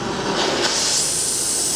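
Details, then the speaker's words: Harris oxy-propane cutting torch on thick steel: a soft, even rushing hiss with no sharp roar, so the flame is set too low. It needs more propane and oxygen for cutting 30 mm material. "Frank, that's not hot enough. Turn it up. Turn the gas up. More propane, more oxy. Yeah. You can always tell it needs to be hotter."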